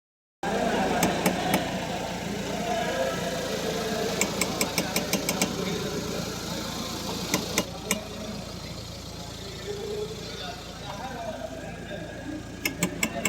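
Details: Worn strut top mount bearing: sharp clicks and creaks in short clusters over a quiet idle as the steering wheel is turned.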